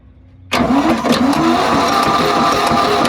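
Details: Old machine left in woods for 35 years, fitted with a replacement Ford engine, cranked on a starter motor: slow, heavy, uneven cranking around three turns a second, labouring each stroke; fluid in cylinders causing hydraulic lock.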